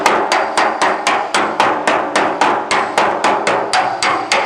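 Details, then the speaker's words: Roughing out aluminum panel dent, hammer on dolly: sharp ringing blows about four per second, each landing solidly; dolly correctly under the strike, compression stretching slightly swelling the panel. "When you hear that dolly on, that's what you want. That's doing a little bit of compression stretching, which will cause a little bit of stretching and swelling of the panel."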